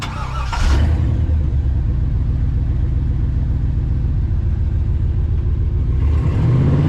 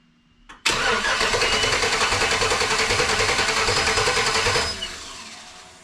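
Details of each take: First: 1948 Dodge pickup with a 5.3 LS swap, restarted after a quick fix for a miss: starts and settles into a deep, even run with no skipped beats; miss seems gone. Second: 1954 Bel Air rat rod tow truck V8 cranks steadily for about four seconds but never catches; crew later suspects it is sucking air, with a whistling heard, and it has no coolant.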